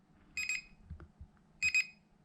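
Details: An SJRC F11 GPS drone remote controller beeps nonstop while recording, giving quick high-pitched double beeps about every 1.25 seconds.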